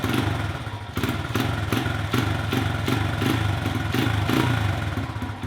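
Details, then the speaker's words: Honda XR100 after hours of carburetor cleaning and adjusting: fires up, no ticking or cam chain noise, but thumps in uneven surges and bogs, wanting to cut off on any substantial throttle; owner suspects a fuel issue. "I can get it to fire up but as soon as I give it any substantial amount of throttle it'll just bog down and want to cut off"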